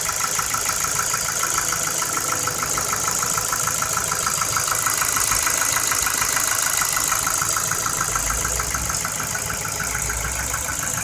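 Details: 2009 Ford Focus 2 1.6, 90,000 km, at idle: fast, fairly even light ticking knock, about three per second, over the engine note; engine knock, most likely piston pins (suspected, not confirmed).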